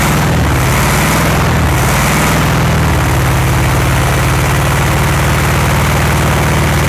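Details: 1960s VW Beetle 1500 air-cooled flat-four petrol, unstarted since 1973, 8000 miles, on choke: catches after a few uneven chuffs, then settles into a low steady thrum running on its own after long storage.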